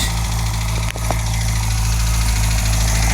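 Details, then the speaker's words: 1978 MG after radiator upgrade, just started and firing on at least three cylinders; low idle with uneven beat and stray clicks, about three pulses a second, dropping down and barely running: rough idle. "She's a little naughty. Ain't gonna lie. But listen to that, baby. Oh, and then she kicks right down and barely wants to run."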